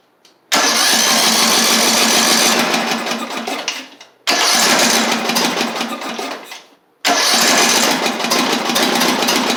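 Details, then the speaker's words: Craftsman LT3000 lawn tractor on starting fluid, intake tube and carburetor fitted, gas not yet hooked up: three short runs firing at low flat speed, sagging and dying without revving; cause unconfirmed. "all right I hear the cylinder clicking in the fuel which is [Music] good now it doesn't sound like it's got any RPMs which is"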